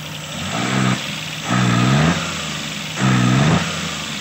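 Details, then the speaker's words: Multicab with Suzuki F6A engine, lacking power, starts on one click: two throttle blips rising unevenly and faltering back to rough idle; hiccups on sudden throttle, fine when pressed gradually; cause unknown. "Ayun, nasinok siya. Nasinok. Dadaan-dahanin natin diin. Pag binigla, Pagdahan-dahan ng diin, okay siya."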